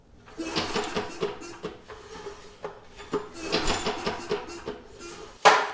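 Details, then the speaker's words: Briggs & Stratton engine from a Storm Responder generator, under 50 hours, ran out of oil: turned by hand with the spark plug removed, a sharp metallic clunk as each piston stroke tops out and reverses; suspected thrown or damaged connecting rod. "That is not the sound of a healthy engine, and it makes that noise every time the piston comes up and then reverses direction."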